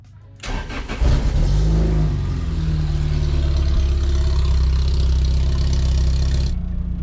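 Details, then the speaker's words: Lotus Elise on a cold January morning cranks and catches into a fast cold idle with a buzzy rattle: exhaust tips rub the rear panel after a new header upset the Larini exhaust geometry and broke a hanger; plan to cut, angle and reweld the tips. "yeah so you can hear that rear panel rattling inside the car it's really annoying and kind of embarrassing so I think we're gonna cut those exhaust tips off grind them down a little bit of an angle and try to weld them back on"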